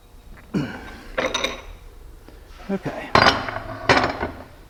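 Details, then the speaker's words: Downhole rod pump after cleaning and reassembly, shaken by hand: metallic clinking rattles as the valve balls chatter freely on their seats, showing the valves are clean. "part's done you hear the ball seats in there chattering so everything in there is clean"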